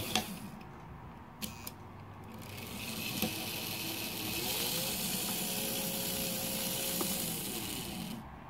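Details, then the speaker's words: Märklin 3090 locomotive after tightening the reverse unit relay spring (old spring reattached at 80% length): a few sharp clicks, then the motor whine climbs, holds and fades evenly; direction change works normally. "looks pretty good and our arse is still working"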